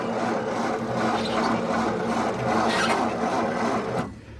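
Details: 1953 Ford Victoria flathead V8, 6-volt system, not run for years: turns over slowly with a dragging, rasping churn about three beats a second, then stops; owner suspects worn, high-resistance battery cables.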